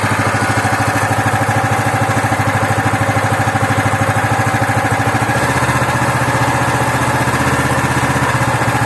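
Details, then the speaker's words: Loncin 15 hp engine, first start after filling oil and petrol, started on the second try: steady, even single-cylinder thump at constant speed with no misses; running normally. "Ланчин 15-сильный, первый запуск. Масло залили, бензин залили. Завелся со второго раза."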